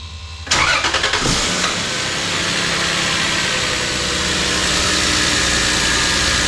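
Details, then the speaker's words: Lexus GS300 2JZ-GE, first start after header install: brief crank, catches and settles to smooth, even idle with no ticking or puffing; no exhaust leaks, normal start and idle. "Let's go ahead and lower this car down, start it up, and see how she runs. Alright, first start after the header install."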